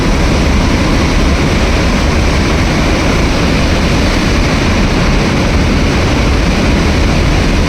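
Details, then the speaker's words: 470 MW hydroelectric unit during startup, about 110 m head and 10 bar: a loud, steady rushing roar with no pitch change as water flows through the motorized bypass valve to equalize pressure before the main valve opens. This is normal. "Keep an eye on this motorized valve as they begin opening, and listen carefully to the sound of filling water."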